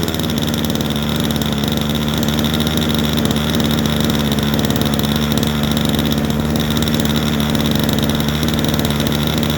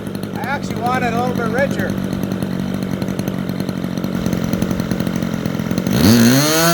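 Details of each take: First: Super Tigre 90 glow engine in a Super Chipmunk RC plane, just primed and started: a steady, slightly uneven buzzing drone at low rpm, needle set about three clicks rich to lubricate the bearings before going higher. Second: Super Tigre 90 RC model airplane engine, vertical-climb lean check: a high, steady buzz that holds without fading lean, then pitch climbs sharply on throttle. Mixture very close to right for the temperature. Well-tuned full-throttle run.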